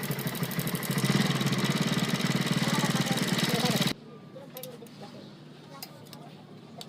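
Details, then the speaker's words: Hero Glamour motorcycle engine idling with a fast metallic rattle over its beat, then shut off; the timing chain adjuster was found completely failed. "इसमें दोस्तों खड़खड़ाहट की आवाज़ आ रही है, तो इस वीडियो में जानेंगे कि खड़खड़ाहट की आवाज़ को कैसे बंद करते हैं।"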